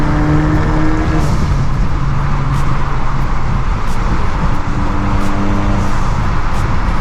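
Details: Modded Acura RDX turbo before high-flow cat and resonator install: loud, steady, buzzy low drone with a rasp on top; exhaust sounds coarse and droning.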